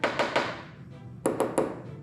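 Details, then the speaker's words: Tap test on Porsche 944 rear hatch fiberglass layup: three crisp taps on well-compacted area, then three dull thuds over a visible air-pocket void where epoxy never bonded, left after flattening the hatch; composite disbond, to be drill-and-fill repaired. "So you can hear that dullness. Granted on this because it's fiberglass, we can actually see the edges of it. You can still hear there's a little bit of a void there. That's a big void."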